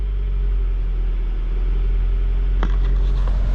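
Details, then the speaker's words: Honda CR-V, no-crank no-start fixed by jumpering a blown main fuse/relay: engine fired right up, even steady low idle with no knocks or misses. "holy smoke guys she fired right up"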